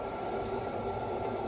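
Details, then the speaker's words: Refrigerator freezer fan after defrosting the frosted-up ice maker area with a blow dryer through a 3-inch PVC pipe; blades had been completely stopped, now a steady even whir with constant airy hum, no scraping or ticking; fan spinning freely. "now it's working so before I could see the I could see the fan blades completely stopped so now it's I can hear the the the noise so it's like working now"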